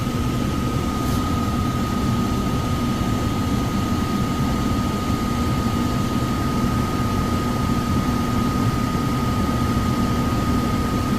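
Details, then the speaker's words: Likely downstairs furnace unit, call for fan not turning on, heat mode: loud steady roar, heavy low rumble and constant thin whistle; blower motor shaking. Tech suspects overamping and shutting off, bearings loud on startup, will check rated amps and capacitor. "Probably overamping or something. Probably overamping and shutting off. Shaking too."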